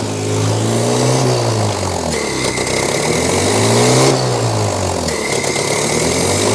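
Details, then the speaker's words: 1983 Toyota 4x4 pickup, 22R 4-cylinder, manual, revived after 10+ years sitting: revved twice after clutch bled, picks up cleanly and drops back smoothly with no stumble or bog; no longer flooding, charging at 13.6 V. "a look good now it's not flooding over now"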